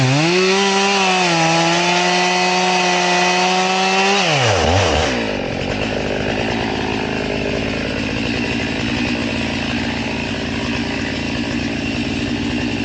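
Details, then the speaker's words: Chainsaw with its chain filed to 10 degrees: it screams at full throttle, then drops into a lower, labouring drone once in the wood, cutting very slowly like a dull chain. "Remember, we're 10 degrees, but it cuts real slow."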